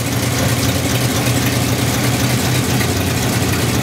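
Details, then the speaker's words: 1951 or 1952 Ford F1 pickup with a flathead engine, his late dad's truck, unrun from 2007 until it was restarted. A low, steady burble with a slight uneven lope; running acceptably. Normal idle. "yeah sounds like a little better 51 ford f1 52 i don't know i might have been lying this whole time 52. i know super cool motor flathead"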